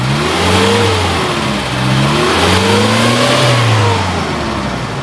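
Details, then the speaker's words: 2005 Suzuki Carry Futura DRV engine, revved to about 4000 rpm: several smooth throttle blips, revs rising and falling cleanly without misses or knocks; healthy, exhaust dry with no white smoke. "saya geber sampai 4000 Dia ee ceritanya masih enak gitu suaranya"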